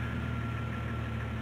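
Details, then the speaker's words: 1990-1999 Jeep Cherokee idling after replacing a cracked old ignition coil: smooth, even low hum with no misses or stumbles; runs much better than before, normal idle. "let's start it now it runs actually a lot better than it did which would explain why because there's cracks in the old ignition coil"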